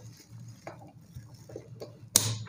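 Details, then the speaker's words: Replacement air-conditioner magnetic contactor (the old one was mechanically faulty) being energised: a faint hum, then one crisp clack as the coil pulls in cleanly; normal contactor pull-in. "देखें ये बिल्कुल अब चल चुका है।"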